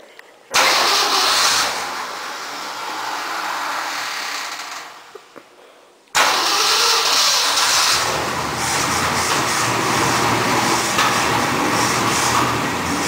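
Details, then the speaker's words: 352 engine out of the vehicle, for a 1965 Mercury truck: long churning crank bursts with weak catches, never runs; fuel poured in to fill the carburetor bowl spits out the other side. Cause unconfirmed. "I'm trying to fill the carburetor bowl, but it's not taking it. It's spitting it out the other side."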